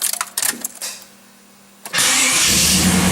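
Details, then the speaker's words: 4th-generation Pontiac Firebird Trans Am with LT1 engine, new gear-reduction starter replacing a bad one: a few light clicks, then the engine catches cleanly and settles into an even, strong idle with no starter grinding; normal starter cranking and start. "awesome beautiful that starter sounds awesome actually all right let's check it out again i like that sound"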